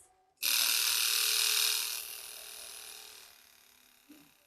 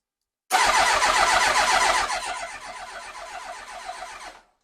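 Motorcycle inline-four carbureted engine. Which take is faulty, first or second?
second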